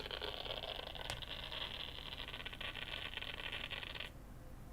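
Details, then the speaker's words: MacBook A1466 at power-up on USB-C: a harsh, rough, metal-on-metal whirring grind from the cooling fan's bearing, steady and loud, then suddenly dropping off. "It's definitely the fans making that noise. Oh, that is just terrible."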